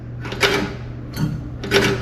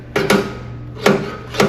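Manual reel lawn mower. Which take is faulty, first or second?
second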